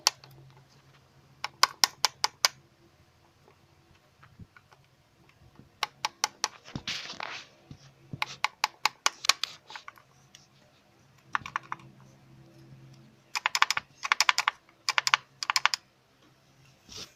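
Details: D4Cb diesel idling with bursts of sharp, fast metallic clatter from one slack timing chain slapping its guides; replacing the outer timing chain cured the rattle.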